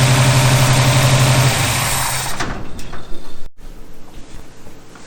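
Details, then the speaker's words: 1951 Henry J street rod, first start after the carburetor was bolted down and fuel line fitted: rough, lumpy idle with loud backfiring pops, then stumbles; owner suspects the distributor cap or a spark plug wire. "Okay, so it cranked up and idled fairly well. The problem is the backfiring, so I'm going to guess it's something with the distributor cap or a spark plug wire, probably with the distributor cap."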